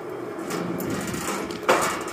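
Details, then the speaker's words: Valley Pioneer GF480 trommel dirt screener on a VFD set to 308 RPM: steady low drum rumble with one sharp clunk; owner first suspects a protruding bolt head; later found to be weld beads hitting the drive wheel. "Really cannot tell what that clunking is. Might just be one of these bolt heads that's sticking out longer or something."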